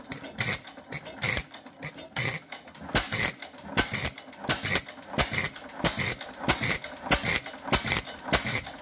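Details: Fairbanks Morse 6hp Model Z hit-and-miss engine, fuel valve at one-eighth turn, oiler on: sharp firing bangs about every second with clattering valve gear between; running properly.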